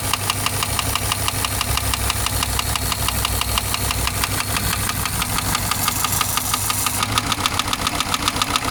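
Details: Subaru boxer engine idling: steady metallic knock riding on exhaust beat, keeping pace with engine speed; owner weighing repair versus replacement engine, cause not pinned down.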